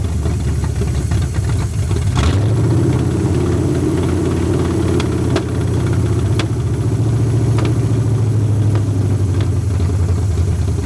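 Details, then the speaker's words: 1981 Ford Mustang 5.0 V8 with carburetor, revived after sitting: rough, uneven idle with occasional stumbles, but idling better than before now that the fuel pump feeds the carb directly. The old pump was apparently restricting fuel. Owner suspects a fouled plug holding heat. "I think that it's probably got a plug that's got a bunch of stuff on it and it's holding heat on that plug so it it's keeping it's letting it keep firing is what I think it's doing"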